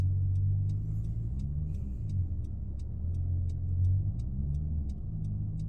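A steady low hum under the road noise holds while cruising, coming from the rear; likely a bearing or differential, cause unconfirmed.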